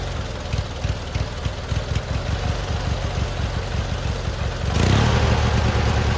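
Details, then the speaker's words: Free abandoned lawn mower, old gas removed and tank cleaned, started on choke: even, steady low putter of about three beats a second, then revs up smoothly. It runs and idles normally. "success all right so we got it to fire up and run and idle and do all the things we needed to do"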